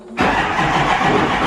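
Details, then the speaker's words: LML Duramax diesel, CP3-swapped, up-pipes, head studs, after a fuel leak (suspected loose injector) was checked: harsh, gravelly cranking with no even rhythm, no start; sounds mechanically wrong, cause unknown. "o I don't know if you heard that but that did not sound good I don't want to crank it too many more times like that"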